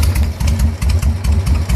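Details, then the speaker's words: 1999 Suzuki Intruder 1500, about 13,000 or 23,000 miles, after bypassing the failed decompression solenoid: deep, even V-twin idle lope about six pulses a second, steady, no misfire; previously only clicked like a dead battery; normal idle. "every time man every time starts up like a champ have yet to be left on the road do to an electronic malfunction"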